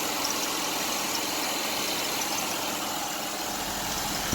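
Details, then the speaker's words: 2005 Mazda Tribute 3.0, 124,897 miles, bought wrecked, now running with coolant, oil and transmission fluid checked: steady, even idle, smooth hum, no knocks or misses; runs really good. "runs really good"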